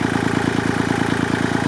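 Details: Kubota L2501 diesel tractor after replacing the stock mechanical fuel pump with an electric fuel pump, not yet run under load: steady, even idle clatter with regular firing pulses, no misses or surging; idling cleanly.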